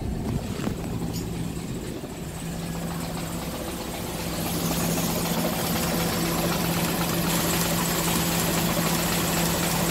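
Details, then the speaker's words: Hyundai Getz petrol engine idling roughly with an uneven rattling knock from a loose crankshaft timing sprocket, also misfiring and lacking power; compression tested OK, sprocket to be welded. "Tapos pinakaano maingay ang makina agatak. Ganito yung tunog."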